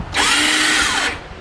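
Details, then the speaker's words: 2019 Massimo T-Boss 410 EFI UTV: key on, a high electric whir spins up, holds about a second and winds down with no cranking beats; starter freewheels, diagnosed as failed one-way sprag starter clutch behind the flywheel. "my guess is going to be it's going to be the one-way bearing on back of the fly wheel has gone bad so we're going to end up changing that out"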